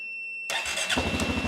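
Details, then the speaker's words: Quad started using a batteryless supercapacitor jump pack charged from the nearly dead battery: half a second of quiet, brief cranking, then catches and settles into even, steady idle; normal start. "it started it says finished now i'm going to shut it off and we're going to see so it says finished and it will let me kick it back on"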